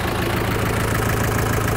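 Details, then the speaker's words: Rebuilt 200 hp HDI diesel first start after reassembly: even, steady idle with a regular low beat and no more rapid ta-ta-ta tapping; sounds healthy. "Quel régal! On n'a plus le ta-ta-ta-ta-ta-ta-ta!"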